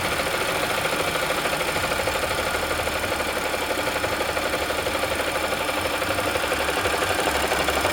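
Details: 2014 Audi S4 3.0T, 106k miles, modified and tuned, failed randomly while driving: rhythmic hollow knock about three times a second at idle; rod knock from a worn connecting rod bearing.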